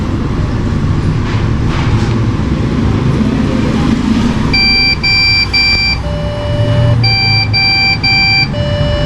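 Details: Desktop PC that won't boot (fans spin, no display): over background rumble, sets of three short high beeps repeat with pauses, the memory-fault beep code; fix is removing and cleaning the RAM. RAM fault beep code.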